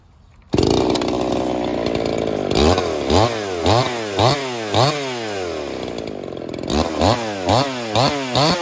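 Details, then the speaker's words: Ported Echo 4910 chainsaw, freshly tuned, first cuts: screams high, drops under each cut and climbs back; top end maybe a shade rich and burbly, topping out about 15.1 thousand rpm; slightly rich at full throttle, suspected. "It sounds like it's maybe a shade rich, topping out at about 15.1, about 15.1 topped out at."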